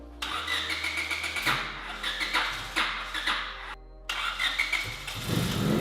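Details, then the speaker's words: 1996 Honda Civic EK coupe, first start after fixing valve cover ground: cranks, catches within seconds and settles into a smooth, quiet idle; headers slightly smoky. "that sounds nice do thatf oh it's nice and quiet bro"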